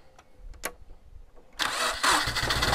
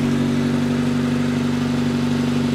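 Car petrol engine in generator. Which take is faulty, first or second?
first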